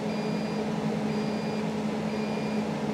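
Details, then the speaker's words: Onan generator just fired up supplying three-phase through a new panel, legs reading 207 V each: half-second high beeps repeat about once a second over a steady generator hum. The alarm is possibly under-voltage, unconfirmed. "that is annoying what is that alarm is it an under voltage probably"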